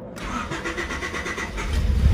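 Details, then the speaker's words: 1995 Honda Civic after replacing stock fuel pump with high-performance pump, primed before start: brief starter whir, catches at once, settles into steady low rumble, no check engine light; normal engine start. "we have it guys starts up no check engine light no nothing"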